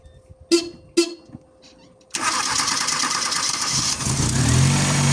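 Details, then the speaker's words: Chevrolet Aveo, cold start: sharp pops and backfires, engine catches late and settles rough; starts intermittently, oscilloscope shows bad ignition coil pulse train, crankshaft position sensor signal fault. "ya y el vehículo encendió con un poco de dificultad tal como apreciar hay veces se enciende y otras veces no se enciende y genera una contraexplosión"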